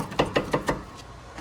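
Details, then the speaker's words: 2003 Porsche Boxster, flood-auction car: four quick hollow knocks, about six a second, as the worn, loose passenger-side front sway bar drop link is rocked by hand, before replacement. "now the front one this is the passenger side front and this one is definitely making noise as you can hear"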